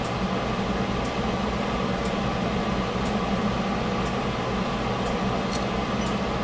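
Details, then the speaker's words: Ford Escape after warranty AC compressor replacement: steady, even hum with a faint light tick about once a second, no grinding or rattle; normal AC compressor running. "all right, Ford Escape, AC compressor, warranty, done."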